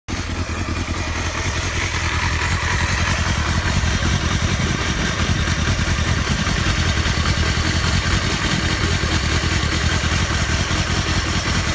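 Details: Honda Hornet 250 motorcycle at fast idle: rough, uneven chatter over the exhaust beat; owner reports an abnormal engine noise and asks for help, cause unknown.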